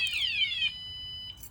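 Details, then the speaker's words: Bicycle alarm being disarmed by pressing lock and unlock on the key fob: short falling electronic chirp then steady high beep, then stops; normal disarm tone. "And to shut it off is kind of simple. All you gotta do is just pull up my keys and just hit the lock and unlock button."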